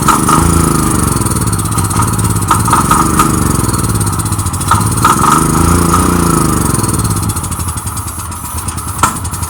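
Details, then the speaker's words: General RS5500 portable generator, 389 cc single-cylinder engine, run on starting fluid sprayed into the carburetor intake: surges up and down about every two seconds, hunting toward stalling; fuel not reaching the system. "it starts and it runs with the starting fluid but it doesn't stay on because the fuel is not getting to the system"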